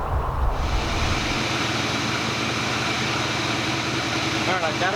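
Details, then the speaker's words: 1987 Chevrolet El Camino V8, sat for an unknown time, new battery, carb choke linkage improperly attached and starving fuel: rough, uneven loping idle; runs only at idle and dies on any throttle, fuel delivery fault suspected. "to run, but only at idle. If I touch the throttle just a little bit, it dies, so I'll have to look into that some more."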